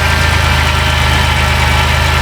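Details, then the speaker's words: 2010 Dodge Grand Caravan 3.3 that bogged down and stalled; after a replacement computer was fitted, engine in closed loop with O2 switching. Firm, even idle with a steady low throb, no stumble or stalling: normal idle. "I don't I don't think there's anything else to look at here it actually runs this lady will be happy"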